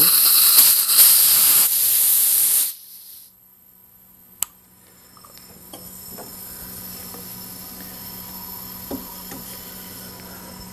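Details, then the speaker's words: Little Wonder leaf vacuum curb find that won't start, leak-down test at 35 psi with piston near top: loud steady rush of air for about three seconds, 100% leakage escaping out the intake valve. "got uh a whole lot of air coming through here 100 leakage I'm putting in 35 pounds and I'm hearing it all come out the intake"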